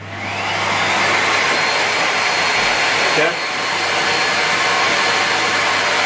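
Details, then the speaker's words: Broken Miele Complete C3 vacuum cleaner motor running, compared against a working Miele: a loud, steady rushing roar with a harsh, rasping, saw-like edge and a brief dip midway. Abnormal motor sound; the cause is not stated. "This one sounds like a this one sounds like saw machine. Now I can see the difference."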